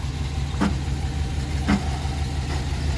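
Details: Chevy Express 3500 van, 6.0 V8 with 4L80E, 251,304 miles, battery light on at about 10 volts; idling with an uneven sharp chirp-click about once a second from the belt drive, which stops when the AC is switched to max, suggesting a failing pulley bearing.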